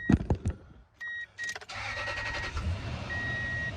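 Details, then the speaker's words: 2003 Toyota Tundra 4.7 V8 after replacing all eight spark plugs (earlier cylinder 6 and 8 misfire, bad coil pack): door chime, brief crank, catches immediately and settles into a smooth, even idle with no misfire stumble; normal start and idle. "We're gonna hit the key here, see how smooth she sounds now, having brand new spark plugs."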